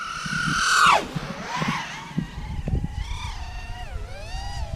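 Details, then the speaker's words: Eachine Wizard TS215 FPV quad on a 5S battery (6S had failed) at full throttle: a high motor scream surges and stutters, then cuts out. The ESCs desynced, unable to handle the power, and the quad crashed into pieces. "we had the D sink fellas they can't handle the power and it just food itself quite literally it's in pieces over here"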